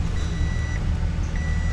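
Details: 1994–98 Ford Mustang idling after repair of a crank-no-start: blown intake replaced, anti-theft light had been blinking. Low, even idle rumble with no stumble or miss, faint beeping nearby; smooth normal idle, not yet tested in gear.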